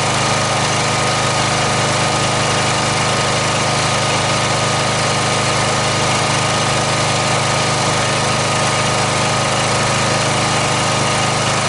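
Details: Snapper 38-inch scrap riding mower idling; steady, even drone at constant pitch, no knocks or misses; sediment bowl gasket suspected of dripping, owner says it sounded pretty good. Normal idle.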